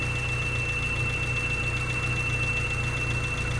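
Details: 1992 Honda Civic hatchback, warm idle: steady high-pitched whine over smooth idle, only at idle; seems to come from the alternator, but persists after third alternator and new tightened belt; source still unknown.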